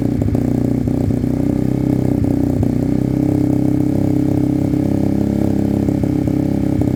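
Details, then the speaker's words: Sinnis Cruisestar motorcycle at cold idle on choke, with a new aftermarket exhaust: a fast, dry puffing tick of about three per second over the beat, with the pipe unsealed at the head and loose despite shims; an exhaust leak. "so it's not sealed at the head properly even with their um shims it's uh it's loose on the pipe"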